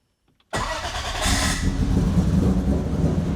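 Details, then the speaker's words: 1000+ HP MK4 Supra with big turbo, 4-inch exhaust and ProEFI standalone base tune, restarted after a very rich initial AFR target of 12: quick crank that catches at once into a lumpy, even idle with deep burble; normal cold start. "It's great that it starts right up now."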